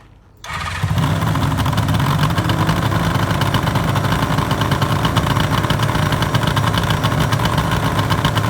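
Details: 1974 Suzuki GT750L water-cooled two-stroke triple, first start after a full rebuild from cartons, battery at 12.66 V: cranks briefly, catches at once and settles into a busy, even idle with steady crackle, running clean.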